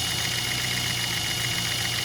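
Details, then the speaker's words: 2008 Chevy HHR 2.4 Ecotec idling with the intake removed: a steady high whistle gets much louder when the PCV breather is covered and quieter when released, from air sucked through the crankcase; crankcase vacuum leak whistle. "And this is what people like to call the PCV valve. Cover it up, noise gets a lot louder."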